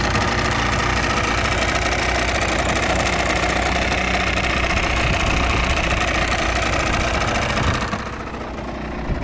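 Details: Yamaha TDR/DTR 125 two-stroke (5AE), cold and not yet smoking: crisp, busy ring-ding held steady at idle, even with no rattles or misfires, easing off near the end. Healthy, though owner suspects tired exhaust valve seals.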